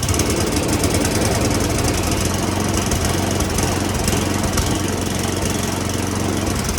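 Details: Roadside free snowblower said to have a toast motor, carburetor sprayed with Seafoam and smoking: small engine labours unevenly, stumbling, irregular beats under a rough drone; rough running from dirty carburetor.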